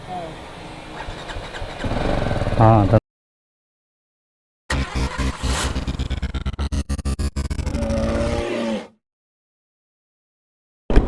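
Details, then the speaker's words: BMW G310GS that would not start after sitting a week following an Ooty trip, battery issue; jump-started from another bike: starter cranks in quick bursts, engine catches then stops; weak battery. "ஆக்சுவலா இப்ப என்ன நடக்குது அப்படின்னு பார்த்தீங்கன்னா பைக்ல battery issue so அந்த பைக்க வச்சு இந்த வண்டியை ஸ்டார்ட் பண்ணப்போறோம்"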